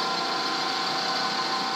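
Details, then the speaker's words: Drill bit cutting bronze for a mug case: a steady, harsh buzzing chatter, a sign the cut is running dry. The fix is to back the drill out and add lube. "good sign to back up your drill put some uh Lube on it that's getting nasty"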